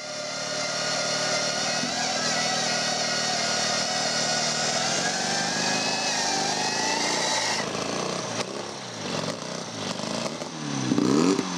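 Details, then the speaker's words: 1937 Scott two-stroke motorcycle with sidecar, laid up in a barn over 20 years, on a repeat first start after oil pump checks: buzzy note wavers unevenly, then stumbles and breaks up after about seven seconds; running rough and poorly. "Điều đó nghe có vẻ không tốt lắm phải không?"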